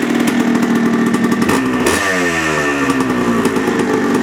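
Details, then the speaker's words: 1980 Yamaha IT175 two-stroke after a rebore, first-oversize piston and new top end on 32:1 premix: a crisp buzz that blips and settles, smoky. The former piston-slap idle rattle is gone, with more compression and better throttle response. "it's blowing smoke the noise is gone completely gone noticeably more compression the throttle response is a lot better than it used to be"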